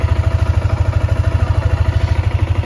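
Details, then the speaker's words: Yamaha Sniper 155 single-cylinder after 4 months, 2,336 km odometer, freshly cleaned; even idle with light regular tick, stated normal, ticking fades when clutch lever pulled. "Normal lang yan mga boss kapag may naglalagitik. Yan, normal lang yan. Yan talaga yung sniper."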